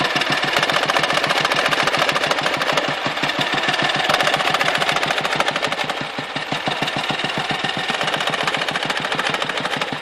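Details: Dnepr boxer twin chugging with sharp, uneven knocks over the firing beat, coming and going. When knocking, power drops and the carburetor spits fuel; when it stops, the engine runs smoothly, and it vanishes near stalling or at high rpm. Cause unclear.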